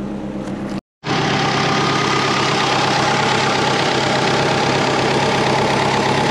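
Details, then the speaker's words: Twin turbo Subaru Forester (GT35 and TD05) idling warm at 86 °C after a poor warm start, possibly cold transmission: brief dropout, then a steady but slightly lumpy idle, no clear knock; owner suspects a vacuum leak. "all right so we can idle we have startup and idle wasn't very good at starting up just then maybe that's a warm startup we're at 86 degrees celsius i think we might have a vacuum leak"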